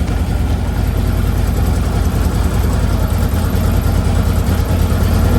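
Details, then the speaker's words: Harley Twin Cam idling on the stand after a Drag Specialties clutch install and cable adjustment. The lumpy but steady twin goes into gear with no clunk, whereas before the repair it clunked hard into gear; neutral is now found easily. "I took that electric glide for a test drive, then took it home and picked up my bike, and it shifted perfectly, found neutral at every intersection, every stop, and no clunking going into gear. Shifted like butter."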